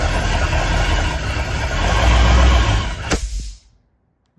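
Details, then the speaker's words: Boat engine with a JB Welded cracked block and cooling jacket, first start-up after reinstalling with an unprimed fuel system and ether on hand: rough, heavy low churning, then a sharp bang before everything dies. It backfires while cranking and fails to start, and a fire then burned the wiring. "your fuel no I don't think so is it just backfire let's see if we crank it"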